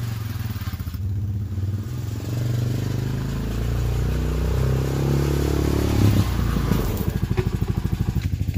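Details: Honda Foreman ATV that wouldn't stay running, after carb cleaning and rebuild: single-cylinder thump picks up, revs smoothly and drops back to steady idle without stumbling; normal running.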